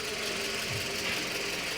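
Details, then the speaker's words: 2009 Toyota Camry 2.4 (XV40), first start of a replacement engine with 160,000 miles, cold and warming up: smooth, steady idle hum with light even ticking, slightly shaky at first, no misfire or knock; runs normally. "But she started, sounds good. It's a little shaky, gotta work itself out. But so far, so good."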